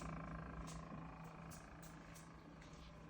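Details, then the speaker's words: Midea refrigerator, microphone at the side: steady, loud low compressor hum with a faint higher buzz on top, audible throughout the house even when standing away. "I go around the side so you can hear the humming, the compressor sound."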